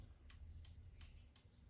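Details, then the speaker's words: Honda CL70 K3 with a Lifan 125cc 4-speed semi-automatic engine, right turn signal switched on during the lighting check: sharp, even ticks about every 0.7 s over a quiet hum, with the "W" winker light flashing. The flasher cycles normally, though the tail light flashes too (suspected ground issue). "I hear the flasher flashing. I've got the light flashing in the speedometer, which has a W on it for winker."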